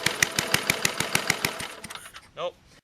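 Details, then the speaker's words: Craftsman 21-inch lawn mower, 4–6 hp Tecumseh engine and carburetor, not started in 12 years and stored outside: quick, fairly even single-cylinder popping, exhaust spitting debris (probably rust), before it fades and stops; normal running. "Oh, it wants to. Kicking out stuff out of the exhaust. Probably rust."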